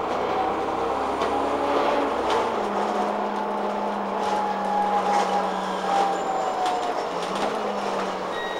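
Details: London bus TPL268 on route 4 to Waterloo, near Waterloo Road. The turn indicator's warning beeper sounds faintly about once a second over the engine and road noise. It is working normally.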